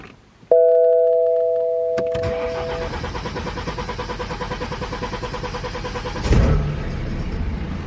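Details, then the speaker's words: BMW 3 Series diesel at a major service, after fresh oil and fuel filter, ignition cycled about five times to fill the filter: long steady starter cranking with even compression pulses until air is bled out, then the engine catches and settles to idle. "You should get the fuel filter nice and full, and then it's just a case of cranking over until all of the air has been bled out of the system."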